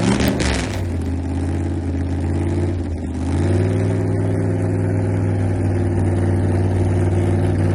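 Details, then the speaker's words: Newly assembled car on its first test drive. Revs climb, then sag and stutter before picking up again, a lean stumble as the carburetor secondaries open: carburetor lean stumble. "Listen closely. You'll understand why we didn't Something wasn't right."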